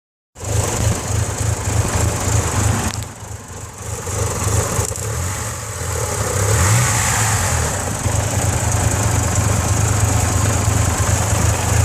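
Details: 4G64 converted to 4G63 engine: uneven, lumpy idle with a wavering beat and dips in level after a blip; rough idle, cause unclear.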